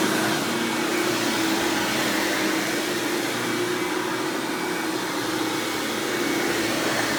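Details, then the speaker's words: 1997 Hoover Dirt Finder Power Drive self-propelled upright vacuum, model U6331-930 (Elite style): steady, even motor hum at constant pitch with no rattles or surging; runs exceptionally smooth and fairly quiet; normal running. "all right as you can see this thing runs exceptionally smooth surprisingly it's pretty quiet for what it is"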